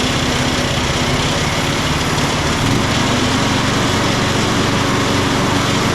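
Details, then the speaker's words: Craftsman LT1000 riding mower after blade deck belt replacement (AYP 144959). Small single-cylinder engine at steady speed with a dense whooshing roar; the blades keep spinning even with the deck lever disengaged, a fault. "It's still engaged even when you disengage it. And that's not good."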